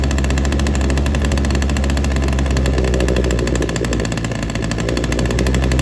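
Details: Ryobi SS30 multi tool two-stroke that wouldn't start, after a complete carb tune: steady buzzing note with even firing and no stumbling or surging; sounds a little better now, running smoothly.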